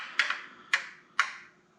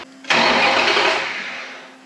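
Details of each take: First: Off-road buggy with Mopar 5.9 (360) Magnum V8, engine off and not heated up: three sharp isolated ticks about half a second apart; owner suspects lifters bleeding down near the cam area, origin unknown. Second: Off-road hot rod buggy with Mopar 5.9 (360) Magnum V8, exhaust detached: sharp starter engagement, then smooth, even cranking that fades without firing; starter turns engine over healthily.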